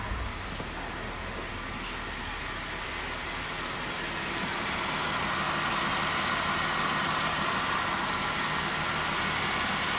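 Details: 2012 Jeep Wrangler 3.6 Pentastar after fixing cylinder 3 misfire (P0303, broken coil connector repaired): steady, even idle with smooth hum, no stumble; cylinders firing cleanly.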